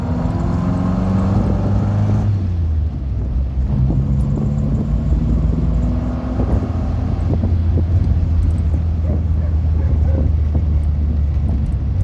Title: triumph spitfire 1500 bruit moteur